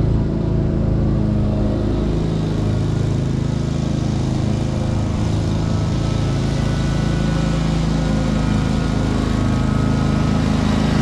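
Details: 2003 Wright Stander, 23 hp Kawasaki V-twin, after the wrongly hooked-up parts were corrected: steady, even drone with a constant low beat and no hunting or misfires. It runs as it should.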